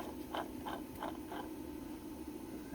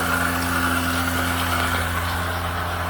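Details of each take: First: 2000 Lexus ES300 3.0 V6, towed in after dying while driving, pump turned by hand: gritty scraping sweeps; the water pump bearing has play and is worn. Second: 2000 Lexus ES300 3.0 V6 interference engine, first start: steady, even running and restart with no knock; the water pump is noisy but the engine sounds good.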